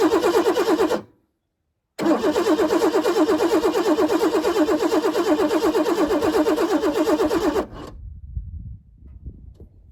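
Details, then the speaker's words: 1988 Ford Bronco II, long parked, fresh gas added, starting fluid sprayed in: starter cranks steadily in two long bursts, about three turns a second, never catching; fuel pump or fuse suspected, not confirmed; crank no start. "I think we might need some more starting fluid."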